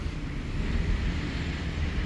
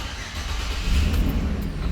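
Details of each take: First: 2013 Chevrolet Express van, V6, no-start case: steady low starter rumble churning without catching, a very extended crank with no RPM signal and no TCM communication; traced to incorrectly installed crankshaft position sensor. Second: 2013 Chevrolet Express van, V6, after codes cleared and key cycle, with a bad fuse found and a wrongly installed crank sensor: engine catches almost at once into a strong, even rumble, RPM signal now present; normal start.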